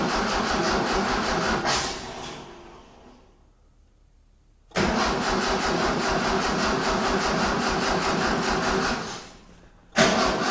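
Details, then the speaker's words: 1976 Galant hardtop with a 2.6L Astron engine from a Sigma, on fresh 91-octane fuel with the accelerator cable not yet connected: two bursts of even, several-second cranking that never catch. The engine cranks but won't start. "Not yet. I haven't actually cons connect connected up the accelerator cable."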